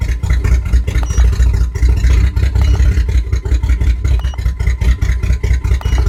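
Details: 1997 GMC Jimmy at idle: lumpy uneven idle with the exhaust beat stumbling and dropping out irregularly every second or so; engine misfire.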